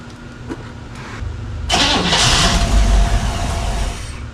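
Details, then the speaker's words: Engine cranks briefly, catches and settles into an even quiet idle with no ticking or puffing after exhaust manifold donut gaskets were replaced; normal idle, no exhaust leak. "As far as I can tell, it sounds quiet."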